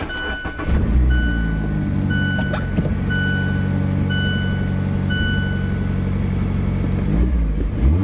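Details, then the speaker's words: 2016 Mazda MX-5 (ND), 35,700 miles, Copart salvage with blown airbags: engine fires up within a second and settles into smooth, even idle with steady low hum and warning chime; no engine warning lights, healthy. "like i said fires right up start real quick"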